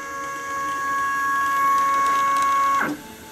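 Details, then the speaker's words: Solsylva 13x13 DIY CNC, router off, axes tuned to run quieter: clean, steady stepper whine holding one pitch, then winding down smoothly as the axis stops; healthy motion without stalls or grinding. "ught i would show what the cnc sounds like without the router running just to show what it sounds like when the axes are tuned"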